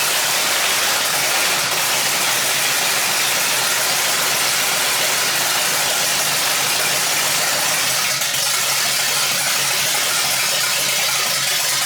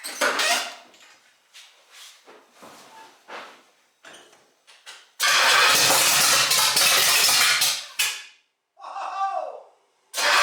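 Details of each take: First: 1968 Pontiac GTO first start after drivetrain rebuild: Pontiac 400 with Butler 461 stroker kit, Comp Cams cam, hydraulic roller lifters; big V8 settles into a steady, even lumpy-cam idle, no knocks or misses, then shuts off cleanly. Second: 1968 GTO with a rebuilt Pontiac 400 stroker (461, hydraulic roller cam) on first start. Short starter bursts, then cranking that never catches, after the distributor was turned. The V8 won't fire because the ignition timing is off.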